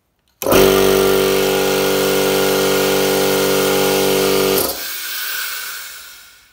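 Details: Aldi Scheppach (Workzone) small air compressor running after pressing its hidden thermal reset button: steady, even motor drone with firm pump hum, then clean shut-off; normal running.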